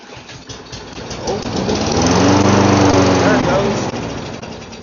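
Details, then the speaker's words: Donated lawn mower that would not start; fuel seems fresh, oil dirty, air filter off. Carb cleaner sprayed into the carburetor: the engine sputters, catches and runs a few seconds, then fades out. Carburetor probably needs cleaning. "So I'm going to spray some carb cleaner in the carburetor and see if it'll start off of that."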